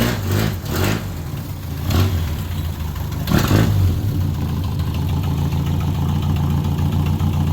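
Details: 1978 MG Midget, 4-speed manual, side-draft carbs, revived after years neglected: a few throttle blips, then a deep even idle with no misses or knocks; normal idle.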